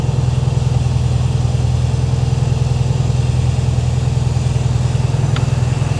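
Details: 1968 VW Karmann Ghia, new 1600cc dual-port flat-four, cold idle with oil pressure about 70 PSI: even, steady low putter at about three and a half beats per second, no knocks or misses; healthy cold idle.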